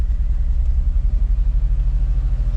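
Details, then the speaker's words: 2005 Mazda Tribute / Ford Escape 3.0L V6 at idle: low, lumpy idle pulsing unevenly; scan tool power balance shows misfires on cylinders 1, 4 and 3. It won't stay running without throttle; check engine light came on while driving. "It is definitely misfiring. And we definitely got misfires on cylinders 1, 4, and 3, it looks like."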